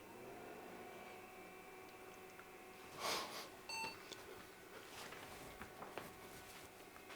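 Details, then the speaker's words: 2002 PC bought untested, first power-on after moving the board into a case, with no hard drive fitted: a click, then one short clean POST beep, a good sign; normal start. "we got the beep so that's a good sign I don't know that we're going to get anything on the hard drive LED because there's no hard drive"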